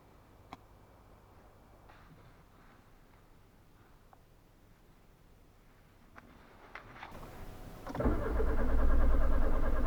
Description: You see a key light or car with key symbol on dashboard because the key is lost or damaged, and then the car will not start. Inside key is a unique chip for the immobilizer.